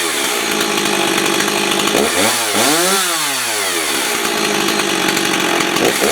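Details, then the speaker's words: 1990s Stihl 026 Farm Boss 46cc chainsaw, chain sharpened about 2 years ago, only the front metal bumped; starts well and holds a crisp high buzz, revving up and back down cleanly before settling. Runs healthy. "All I did was just bump the metal at the front, and I did sharpen the chain on it about 2 years ago, and it starts wonderful."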